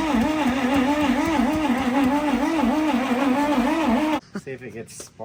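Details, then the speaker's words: Junkyard Dodge truck, plug lead snapped on, being cranked: steady rhythmic starter grind, about three pulses a second, never catching; no spark seen apart from a brief flash. Cause suspected, not confirmed. "All right. I don't think we're getting spark. I thought I seen a spark for a quick second."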